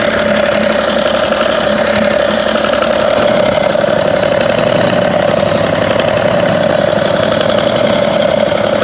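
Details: 2011 BMW 335d (286 hp, 205,000 km), warm idle: light intermittent tick from the front near the damper pulley, lasting about 2 seconds every 3 seconds; it fades with AC on, stops when revved, and is absent when cold.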